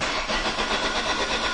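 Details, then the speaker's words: 2002 Ford Focus Zetec with rough idle, cranking compression test after cylinder 1 showed a problem: uneven cranking with lighter compression strokes and a limping rhythm, sounding like two weak cylinders; low compression. "oh yeah sounds like two cylinders actually doesn't it"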